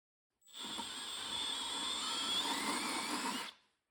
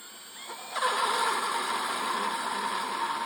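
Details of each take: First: Drilling out aluminum Nissan wheels on a 1997 Toyota RAV4 with a 60-degree bit for Toyota lug nuts, bit held perfectly straight and pushed down hard: even, high-pitched whir held steady without chatter, cutting smoothly. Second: 60-degree countersink bit drilling out Nissan wheel lug-nut seats for Toyota lug nuts on a 1997 Toyota RAV4: a thin, high squealing buzz as the bit chatters from too little push, leaving ridges instead of a true 60-degree seat.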